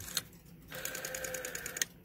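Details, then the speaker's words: Western Electric 5-type rotary dial, cleaned and lubricated, returning after the wind-up click: an even, smooth whirring for about a second ending in a clean snap, some sound but less pronounced than the raspy dial; healthy. "a bit of a sound to it it's not that quiet just not as pronounced as this one"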